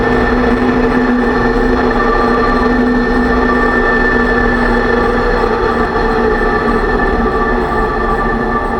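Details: 2006 Range Rover Sport rear differential after rebuild with all new bearings and races (done for bad vibration and howling), driving; steady whine at a few fixed pitches over road noise; owner suspects pinion preload too high, set at 35 in-lbs instead of maybe 20.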